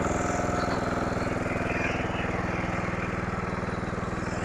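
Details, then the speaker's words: Simplicity rear-engine lawnmower sitting 32 years, revived with fresh oil: small single-cylinder engine runs with a steady, even thump about three beats a second, no misses or surging; sounds healthy. "I do believe we got a working unit here"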